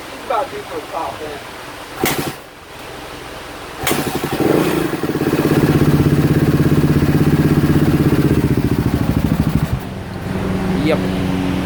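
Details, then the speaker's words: 2016 Kawasaki KX250F single-cylinder after new fuel pump, plug, wiring harness, stator and CDI: idles fast and won't come down, with a light ticky top-end rattle; top end suspected worn, valves to be checked. "think she's about to do her top end honestly uh I'm starting to think that's why we can't bring the idle down"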